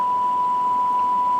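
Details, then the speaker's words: Well-used Cobra 2000 CB radio receive check on signal generator, meter stuck: steady 1 kHz test tone over constant hiss and static that shouldn't be present with strong signal; receiver possibly out of tune or faulty, suspected. "signal this strong you shouldn't hear any hiss i don't know if the camera can pick that up or not but um some white noise coming in there with a signal that shouldn't be that says that uh the receiver is out of tune or it has a problem"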